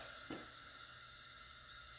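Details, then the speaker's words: 1970 Porsche 911T 2.2L flat six, removed from car, leak-down test at 90 PSI holding 85 (about 5-6% loss), engine not running: steady quiet hiss heard at the crankcase vent breather, air leaking past the piston rings; not catastrophic. "so we can feel not coming out of the exhaust not coming out of that cylinder's intake but I can actually hear it coming out of the vent breather here so that's leaking past the Rings"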